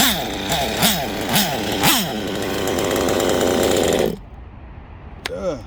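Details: Nitro RC buggy engine after LRP exhaust leak fixed, nearly tuned: repeated quick rev sweeps rising and falling cleanly before cutting out as it ran out of fuel; normal running.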